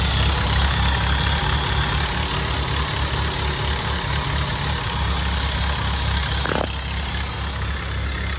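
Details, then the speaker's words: Nissan Sentra B14 petrol after repair of all four cylinders flooded with fuel, worn injectors and fuel regulator, burned-out ECU, car stuck a month: steady even idle, smooth low rumble, no misses; runs properly, needs slight fine tuning. "Ayun oh, another successful ano, medyo fine tuning na lang to."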